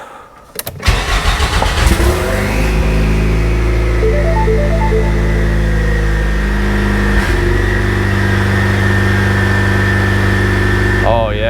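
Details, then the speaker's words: Ford EcoBoost with used turbo, after fitting Radium crankcase plate, Radium high-pressure PCV valve and UPR crankcase vent with check valve: engine catches after short crank and settles into steady even idle; earlier idle misses cleaned up. "yeah, it already cleaned up some of those idle missing issues that we were having. Oh yeah. Yep, it's already happier."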